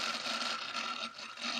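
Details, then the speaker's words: Laptop cooling fan making a vigorous harsh grinding hiss with slight wobble, continuous all day during use; owner thinks the fan is loose, cause not confirmed. "but it makes a really vigorous noise which you might hear a bit self but yeah"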